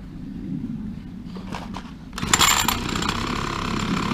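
After a quiet lead-in the trimmer catches sharply and settles into a steady, even high buzz with no misfires: running normally.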